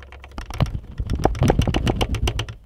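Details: Honda S2000 soft top latch: quick, light plastic clicking in uneven bursts as the loose latch rattles against its trim panel over bumps. Fix per service bulletin: stuff foam into the gaps on both sides.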